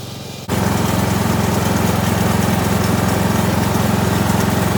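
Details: Kohler Courage 19 hp engine on an Ariens garden tractor after muffler repair (loose internal baffle fixed): engine catches and settles into a strong, even pulse about four beats a second, no exhaust rattle; healthy.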